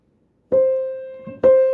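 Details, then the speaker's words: Fisher apartment grand piano (about 4'5"–4'7"), middle C4 struck hard: two strikes ring with a bright, hard edge and extra upper ring. Hammer felt sounds compressed. "that's harder you hear that [Music] so that's more compressed it sounds like and that sounds super compressed"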